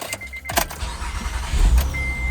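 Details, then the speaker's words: 2008 Acura TL base, 3.2 L V6, automatic, after replacing the starter with a Denso reman unit (starter relay already new). A brief quick crank, then it catches straight away and runs steady. This is a normal start, and the starter or its solenoid was the fault. "And the car starts just fine. So, it was the starter or maybe the starter solenoid, but they're they're kind of one body."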